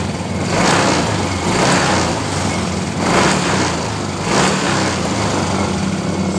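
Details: Yamaha Mio M3 scooter that stumbled and stalled when the throttle was opened, after cleaning with carburetor cleaner including the injector, fuel pressure 40: it idles steadily and picks up cleanly on four quick throttle blips.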